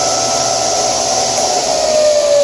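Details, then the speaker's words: Old Craftsman table saw running with a general-purpose blade after the drive-motor pulley was changed to lower the RPM and a link belt was fitted to reduce vibration: smooth, steady motor hum with an even high whine, little vibration. Normal running. "I'm pretty happy with it runs a pretty cheapo general-purpose blade at the moment the cuts are pretty clean you know I'm pretty happy fence is good my miter gauge is now much better and not much vibration"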